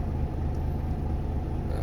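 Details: Volvo FM13 Smart Eco 400 hp truck diesel, idle lowered from ~600 rpm to save fuel: slow, steady low rumble, no hunting, knocking or surging; charging normal, oil pressure unaffected; healthy low idle.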